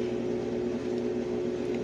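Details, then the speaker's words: Brastemp Ative 11 kg washing machine that won't wash or spin, with motor and capacitor already replaced: a steady low hum as the motor tries to turn but the drum never moves, as if locked; the cause was a cracked solder joint on the control board. "ela quer girar fica fazendo isso e não gira ó ela tenta girar e não gira como se tivesse travada embaixo"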